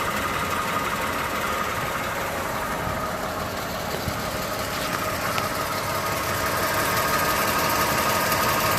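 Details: Toyota 2GR-FE V6 at steady idle: light quick tick about three per second over the engine hum; valvetrain-type ticking, cause unknown.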